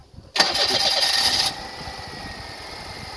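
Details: Brief crank, then the engine catches and drops to a quiet idle; owner reports the hard starting is intermittent, cause unknown; hard starting.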